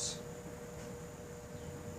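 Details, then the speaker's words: Broan (made by Alaska) 52" ceiling fan on speed three, drawing about 0.26 A on solid-state control: soft even hum and airy hiss, no buzz or ticking, bedroom quiet. "buzzing heavy quiet I'd almost call bedroom quiet"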